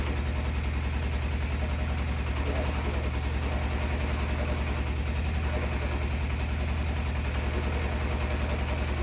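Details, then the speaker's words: 1987 Yamaha FZR 1000 Genesis after carb cleaning and an oil change (old gas suspected diluting oil): fast regular ticking clatter, three to four beats a second, over low idle; bottom-end noise persists. Cause suspected, not confirmed. "I mean, it does smell like a old gas and whatnot, so maybe it diluted the oil and it was weird, sounding weird, but let's give it a shot. The noise is still there."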